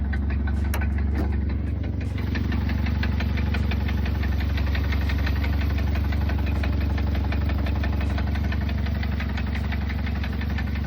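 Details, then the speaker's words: Recently bought Mustang sold as mechanically perfect, at idle: sharp, regular metallic knock about three times a second over the rumble from the bottom end. Engine knock; a motor replacement is suspected, not confirmed. "Well, that was short-lived because, as you can hear, Uncle Rodney started knocking."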